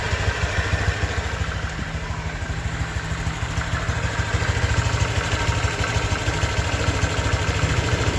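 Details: 2023 Honda Vario 125 new scooter at just over 1,000 km, engine started and idling: even, fast putter at constant speed with no ticking or rattle; owner reckons it runs smoother than at 500 km, crediting correct break-in. Normal idle.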